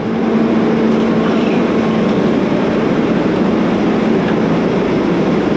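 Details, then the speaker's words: Volvo 140 excavator diesel after injector/filter work, tracking under way: loud steady drone with even track clatter, no misses or knocks, no warning lights; pulling smoothly. "Everything seems to be running good. No warning lights."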